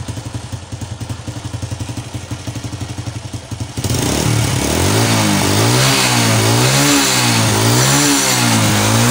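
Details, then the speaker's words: Motorcycle fitted with a locally made carburetor, air mixture set right: even idle pulses, then crisp, light throttle blips rising and falling cleanly with no popping or stumbling; normal revving. "Oke teman, dan untuk suaranya ini terdengar sangat kering sekali atau ringan sekali atau renyah sekali suaranya."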